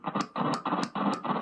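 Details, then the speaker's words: Electric guitar volume pot heard through the amp after spraying contact cleaner into it: scratchy crackling bursts still cut in at one spot as the knob turns. The noise seems not to come from the top, so the control cavity is opened next. A dirty pot. "There's a certain spot that it still has. Okay, so it seems that the noise itself isn't coming from the top here."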